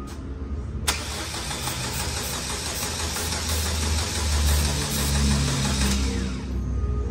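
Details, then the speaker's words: SsangYong diesel that starts badly hot or cold, filters and low-pressure system already checked, injectors judged good: starter cranks steadily about five seconds before catching, rail pressure rising to 270 once fuel pressure builds; hard start, cause still being diagnosed. "en ningún momento enciende bien se demora muchísimo en encender"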